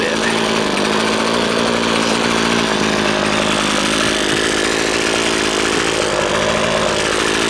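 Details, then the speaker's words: Husqvarna two-stroke string trimmer after its carburetor was disassembled and reassembled (diaphragms serviced), tested with the air filter off: a steady, even high buzz holds speed with no surging, bogging or misfire. High setting may need slight tweaking; otherwise normal running. "it yeah a okay I think that's got it I think that's got it"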